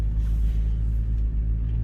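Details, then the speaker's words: 2007 Ram 3500 dually, 6.7 Cummins, driving after bleeding air from the power steering lines: steady low diesel rumble, pump whine largely gone; noticeably quieter than before, only slight noise remains. "that's noticeably quieter still making a little bit of noise but yeah that's much better"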